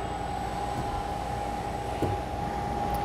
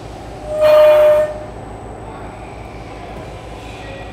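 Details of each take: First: Ball-screw linear module after servo auto-tuning, which cured its earlier oscillation noise: a smooth, steady hum with one constant mid tone and no squeal or oscillating noise as the carriage travels cleanly. Normal motion. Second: Ball-screw linear module with poor servo tuning: two sharp, high steady squeals over a low running hum as the carriage reaches the end of travel, where the unsupported screw length is longest; servo oscillation from tuning, not a mechanical ball-screw fault.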